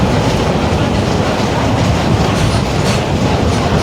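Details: 2021 Marcopolo Torino S long-body city bus on Mercedes-Benz OF-1721 BlueTec 5 chassis, BR Mobilidade route 927: steady deep roar under load with a low droning growl beneath the engine from the rear differential. Differential growl.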